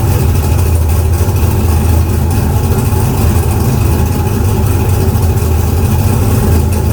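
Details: Car "Fancy" after a 6.2 LS swap replacing a 406 SBC with an out-of-balance Scat crank: deep, steady V8 burble at idle, even and unbroken with no misses or stumbles.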